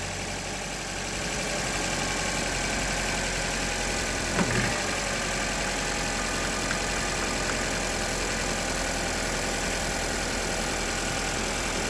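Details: Honda Civic idling after a locked-up AC compressor was replaced, before refrigerant charge: steady, even idle hum with no knocks or rattles; engine runs normally, though the new compressor clutch then fails to engage.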